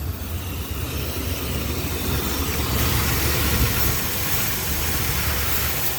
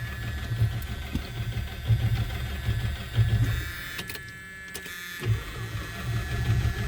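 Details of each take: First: 1976 Chrysler Newport running on its own after about 8 years sitting, on a replacement battery: steady low rumble with an even beat and no knocks or pops; normal idle. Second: 1976 Chrysler Newport, sitting since about 2012–2013, starting fluid applied, fluids unchecked, Chrysler 4-barrel carb linkage seized: uneven starter churning in short bursts with no firing or catch; cranks well but no start.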